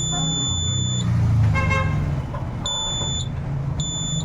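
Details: Homemade battery-powered fire alarm project, tested with a flame: steady high-pitched beeps about half a second long repeat over traffic noise; the buzzer triggers properly.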